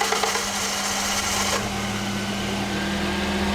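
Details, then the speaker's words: Toyota engine just fitted as a replacement, restarted after a quick switch-off to check a connection: high starter whir for about a second and a half before catching and settling to a steady hum; hard starting, owner suspects faulty temperature sensor or wiring. "So I turned it off just to have a quick look to see if I plugged it in correctly or anything like that. It's now hard to start."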